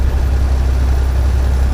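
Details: Detroit diesel truck with hesitation under throttle, owner suspects a failing injector: deep, heavy idle with a slightly uneven, lumpy beat in the low rumble; engine miss, cause unconfirmed.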